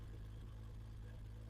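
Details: Freshly rebuilt BMW M20 325iS-spec engine running; rhythmic loping idle, even choppy pulse from cam, otherwise clean steady running, healthy, starts easily.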